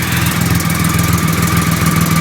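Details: 2008 Triumph Rocket 3 just after the starter relay mod, running on a borrowed battery: steady, lumpy idle with even firing pulses, no stumbles or rattles; normal idle.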